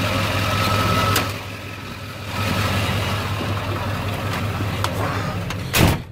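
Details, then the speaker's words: 1997 Ford F250 HD 7.3 diesel after replacing all four injector/valve cover harness connectors and gaskets, fixing bent-pin misfire on injectors 1 and 3: smooth even diesel idle, no shake; normal idle, power restored. "all right here we go way smoother as you can see it's not shaking nearly as bad that's just normal engine before it was like all over the place truck's stable"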